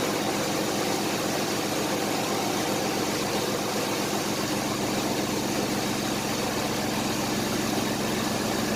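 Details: 1993 Chevrolet S10 4.3 V6, 150k miles, after first tune-up in 20 years (plugs, wires, cap, rotor, air filter): even steady idle with no ticks, knocks or stumbles; healthy.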